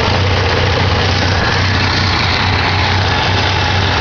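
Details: 1987 Ford Ranger 2.3L four-cylinder started after sitting a while: low, uneven, lumpy idle; owner suspects the carburetor needs rebuilding or tuning.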